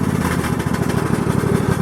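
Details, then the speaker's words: Restored Craftsman GS 6500 riding mower single-cylinder engine at steady, even beat without misses or knocks after repairs; runs well. "frame and it uh runs really well matter of fact I can uh hop up here real quick fire it up for you"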